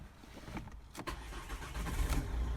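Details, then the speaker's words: 2009 Volvo S40/V40 that would not start due to a jamming steering lock; after removing and freeing the lock mechanism, the starter cranks briefly and the engine fires straight up, idle settling evenly, a clean normal start. "it is look fire straight up so that mechanism as freed off"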